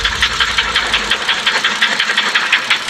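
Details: BMW X5 N55 engine after a rebuild replacing two connecting rods and two pistons and machining cylinders: sharp metallic knocking about three per second over idle; rod knock blamed on faulty installation.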